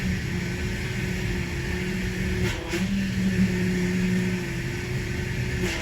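A steady mid-pitched whine rides over the engine as the wheel is cycled, the usual sound of air still trapped in the steering pump.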